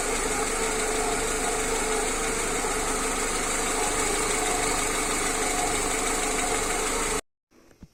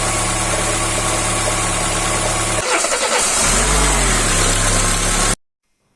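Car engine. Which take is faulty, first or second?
first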